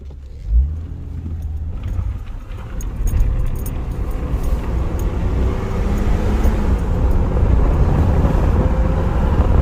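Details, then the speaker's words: GMC Envoy driving after CV axle replacement and a 75-90 synthetic gear oil fill, in 2WD high: steady road and engine rumble with no grinding or whine; slight grinding remains in 4x4. "Yeah, nothing guys, nothing. Brake's good. It grabs. So far so good. Bumps. Wow. It's quiet."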